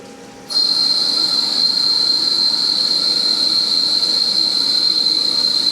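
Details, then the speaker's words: Lathe cutting 17-4 PH stainless steel flange bolt with the tailstock live center not spinning (possibly pushed back slightly); piercing steady high squeal and chatter throughout the cut, operator slowed the feed. Squeal from the non-rotating live center. "Definitely got that squeak. Got my earplugs in for that. I slowed my feed down because I can tell the live center isn't spinning."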